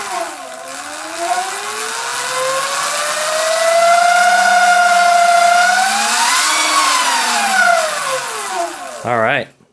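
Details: Sur Ron electric bike after jackshaft replacement, briefly blipped: clean electric whine rising and falling smoothly, previous clanking gone; drivetrain sounds healthy.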